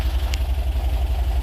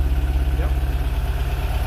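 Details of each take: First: Porsche 914, idle about 800 rpm, with lots of compression noted. Steady, even low throb with no misses, knocks or ticks; healthy idle. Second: Porsche 914 air-cooled engine just after fitting an electronic magnetic-trigger ignition in the distributor: steady idle with even pulses sitting a touch high; fast idle, timing to be checked with a timing gun, cause not confirmed.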